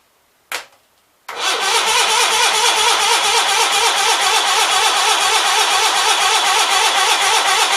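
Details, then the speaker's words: Onan B43 twin after new rings, choke not staying set, fed from a fuel cell: sluggish starter cranking at about two pulses a second, never catching. Owner suspects low battery power; not confirmed. "Thinking we ain't got enough battery power. Oh. Hold on. I might have to let my battery charge and just try this later."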